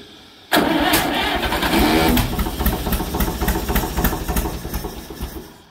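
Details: Allis-Chalmers WD45 tractor engine, sitting at least 15–20 years, first start after unsticking and coil change, throttle advanced: catches and runs unevenly, stumbling and fading with irregular pops; rough running of long-stored engine.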